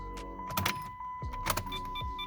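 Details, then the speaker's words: 2006 Chrysler 300C, about 13,730 miles, key cycled to accessory three times to prime pump: thin steady hum each key-on with light clunks between; then starts first crank. Owner suspects failing fuel pump, replacement planned; unconfirmed. "so the trick is getting my keys ready is I have to crime the pump so basically what I do is I just put the car in aux mode and do that like three times"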